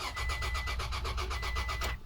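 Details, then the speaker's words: 2007 Toyota Tacoma that cranks but won't start, with relays and fuses OK and the fuel line dry: two seconds of even cranking at about seven beats a second, no catch. The fuel pump has failed; tapping it didn't help. "Wala to. Yung tuyo sira ang fuel pump. Pinukpok ko na yun pero wala pa ah."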